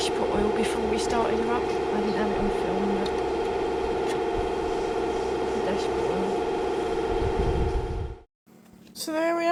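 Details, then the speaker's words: Rover P6 2000 just after its SU carburettor was serviced and refitted: an even, steady idle with a smooth, regular beat and no misses or hunting, so the engine is running healthily. "a success carburetor off serviced put back on and the car running"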